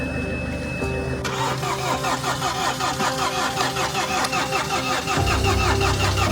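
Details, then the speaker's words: Mini Countryman being restarted after timing chain work (broken timing chain guide had put the engine out of time): steady starter cranking that never catches, with no fuel in the system yet, so the injectors are to be cracked to bleed air. "well we doesn't stall like what said we don't have fuel just yet in the system Dar please crack the injectors"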